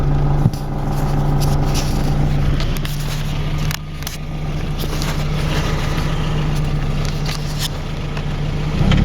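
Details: Nissan S14 moving: low, rough grinding rumble from the driver-side rear wheel area, swelling and easing as it rolls; rear wheel grinding noise.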